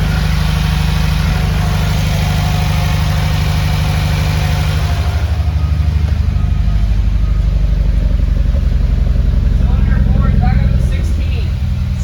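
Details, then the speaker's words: Subaru FA20, restarted under light throttle while data logging: deep uneven thumping about three beats a second with a stumbling beat; cylinder 4 logged rough (22–23 count), misfiring, cause unknown, tune suspected. "there's definitely something going on because cylinder 4 is rough and it's really not liking what's going on so we got to figure out what's happening"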